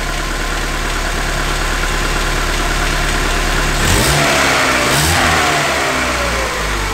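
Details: 1995 Opel Astra F, X16SZ petrol engine, suspected head gasket issue: steady even idle, then two clean quick blips rising and falling smoothly back to calm idle; sounds much better than before, healthy.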